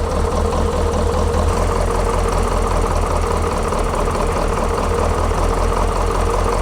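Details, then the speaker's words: Detroit 8.2L diesel truck after complete fuel system overhaul with injectors removed and reinstalled, idle adjustment disturbed; slow, steady idle with even clatter and deep rumble around 600 rpm, too low, later set to about 700. "So, right down here, like this, is how I'm going to be checking that RPM. And then, I'll be doing my adjustments there. Let's start her up. Right around 600."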